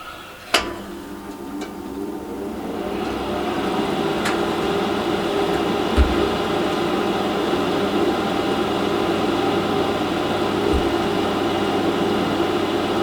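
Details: Industrial café conveyor toaster repaired and tested after reassembly: steady, even motor hum with a soft mechanical patter from the conveyor, no grinding or squeal; running normally, though a minor problem still needed tweaking.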